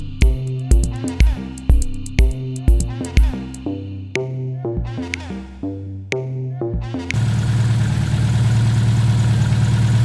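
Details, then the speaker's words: Subaru WRX STI EJ257 engine, rebuilt and reinstalled, first start: music, then the engine fires into a steady, even rumble with no knocks or misses. It runs nicely. "Nii, mootor on koos, siis käib, töötab ilusti."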